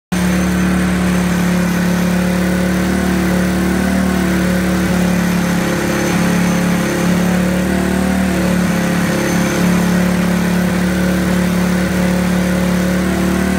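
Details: 1991 Suzuki King Quad, first start after five years under a tarp; previous owner reported no compression until intake valve was loosened: steady, even single-cylinder drone at fast idle, no misses or knocks.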